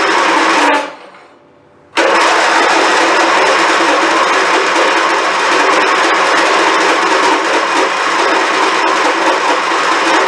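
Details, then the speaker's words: Abused, long-unmaintained Craftsman YT4000 hydrostatic riding mower, after fresh fuel and new spark plugs: engine cranks steadily after a brief pause but never catches. Spark good; no start due to no fuel delivery, fuel pump later ruled out. "So the answer to that would be no. Alright, what you want to do now? Maybe we should see if there's fuel coming out the other side of the pump."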